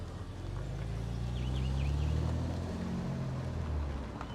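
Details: Repaired salvage-auction BMW with ABS warning light still on, driven gently up and down to check gear changes: low, even engine rumble swelling smoothly as it creeps along and eases off, no knocks or misses; healthy.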